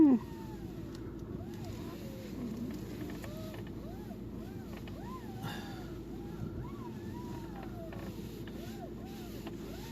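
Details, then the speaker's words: VW Tiguan 1 with the strut bearings already replaced twice: repeated rising-and-falling squeaky creaks and crunches over a low steady hum as the steering wheel is turned; cause unknown; steering creak. "Какие-то хрусты есть. Вот это вот гул, скрип, короче."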